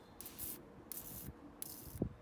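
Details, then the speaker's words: 1983 Ferrari 308 QV, Bosch fuel distribution, cold engine: cold start valve wired to the hazard lights clicks and sprays short hissing fuel bursts about every three-quarters of a second. Cold start valve spraying normally. "okay obviously when the engine's cold now you can hear it clicking I have wired that into my rear lights and what happens you switch the hazards on every time it blinks you will get fuel spraying in"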